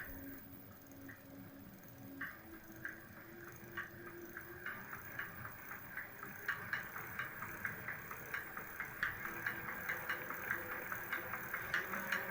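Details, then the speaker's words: Electric hub motor wheel at low speed, fault linked to winter use in low temperatures: light, even ticking about two to three a second, quickening with wheel speed over a soft hum; silent off throttle; knock inside hub motor, cause unconfirmed. "Чуть-чуть газку, и вот начинается стук."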